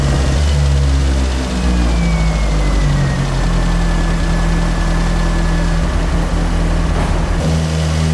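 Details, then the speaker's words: Carbureted AE86 build on a temporary throttle setup: a steady low idle with small rises in revs, now running properly. The owner concludes the carbs were the cause of the earlier problems. It is still a little smoky, with a coolant leak. "So 56th time is the charm. It's definitely working. So it was the carbs that whole time."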